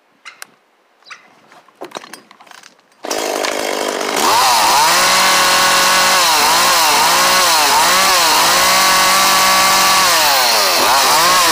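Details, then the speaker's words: Echo CS-400 chainsaw after new carburetor kit and fuel lines, high-speed screw readjusted from original. Fires after light clicks, revs cleanly and evenly, crisp without hesitation; sounds good, normal running after adjustment. "so that sounds good guys we're going to leave it there and adjust it in the future if needed"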